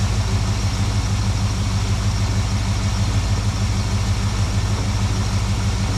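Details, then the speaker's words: 1972 Plymouth Valiant 318 V8, Holley 600 four-barrel refitted after fixing a rich-running fault: steady, even idle with a smooth low rumble, no misses, surging or stumbles, much better than before. "carbs on there we go oh that's much better"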